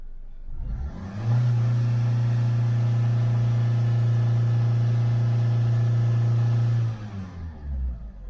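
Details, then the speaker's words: Engine during crankshaft phonic wheel relearn procedure with flashing engine management light: revs up then holds dead steady around 3,000–3,500 rpm without climbing; limp-mode rev limit because the phonic wheel self-learning is not configured. "it's like it's in a limp mode there might be something else i need to do first"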